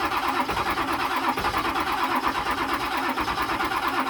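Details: 1999 Ford 7.3 diesel after six months of sitting: steady rhythmic cranking at about three beats a second that never catches or speeds up. It cranks but will not start.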